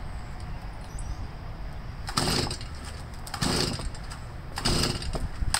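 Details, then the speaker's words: Stihl 52cc two-stroke power sweeper, switch on, throttle working, short pull cord: three rough pull-cord rasps about a second apart, no firing; cranks but will not start; spark plug boot found punctured. "See what's going on here with it. Looks like somebody punctured the spark plug boot."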